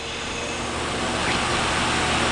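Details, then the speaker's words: Sitek 2300 spin rinse dryer with 4-pole insert rotor at 1800 rpm in a balance test: steady, even whoosh, barely audible or felt, no knocking, wobble or rumble; well balanced, normal high-speed spin. "okay we're at 1800 this is so smooth you can't even hear it spinning i can't even feel it spinning"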